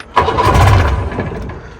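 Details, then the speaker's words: Mercury 90 two-stroke outboard, first cold start after repairs, primer ball pumped: short crank bursts into a few rough firing beats then fades without catching; hard cold start. "Oh yeah, she doesn't want to start today. Uh-oh. Try this throttle a little bit. She really doesn't want to start, guys. Hey guys, so I'm noticing right about here that it doesn't like cold starts."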